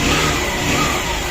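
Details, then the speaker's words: Honda Shine motorcycle engine after repair of a timing chain noise: it revs up cleanly with a smooth, even exhaust note and no ticking or rattle from the top end. "चलो sound एकदम बिल्कुल turns हो गया dance मतलब clear"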